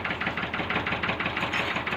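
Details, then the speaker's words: Ford tractor diesel idling after the injector nozzles were checked and refitted: an uneven, lumpy idle with irregular pulses and harsh clatter, unchanged from before; rough running traced to low injection pump delivery. "तो इसको sound अभी भी सही नहीं आ रहा है जैसा कि आप वीडियो में देख सकते हैं साउंड इसका वैसा का वैसा ही है बिल्कुल भी ट्रैक्टर में फर्क नहीं पड़ा है"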